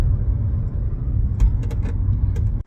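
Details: 2017 Chevrolet Bolt driving: over low road rumble, short sharp creaks from the rear hatch latch area in the back of the vehicle.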